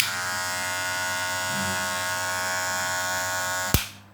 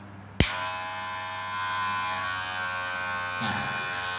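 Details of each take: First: Wahl cordless hair clipper: loud harsh high-pitched buzzing rattle, then cut off; bent spring lever presses the blade down too hard, fixed by slightly bending the lever to quiet it. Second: Wahl cordless hair clipper, after adjusting the bent blade-pressing metal plate and retightening the metal screws to cut noise: a click, then a steady, even high buzz with no rattle or knocking; quieter than before, running smoothly.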